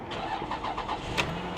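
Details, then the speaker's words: Flood-damaged Lexus LS430 at auction, about 279,346 miles, jump-started: the starter spins briefly, then the engine catches cleanly and settles into a steady idle. It starts fine with no hesitation. "of course it runs of course it runs probably got cold air condition too"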